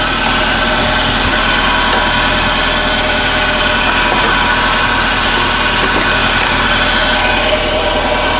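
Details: Toyota Celica after no-spark ignition repair; steady even idle with no misses, stumbles or ticks, little smoke from tailpipe; healthy petrol engine running.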